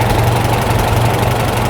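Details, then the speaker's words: Farmall tractor with a freshly rebuilt carburetor, idle speed and mixture screws fine-tuned: a steady, even low four-cylinder chug with no flutter or hunting. Idling smoothly and normally. "I think it's running smooth right about there. You can make those fine-tuning adjustments on your tractor."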